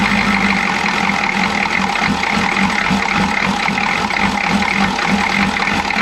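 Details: Chevy G20 van with 6.2L diesel and a grease-caked intake manifold, idle with an uneven lumpy beat as one cylinder regularly drops out; misfire, owner suspects a timing problem.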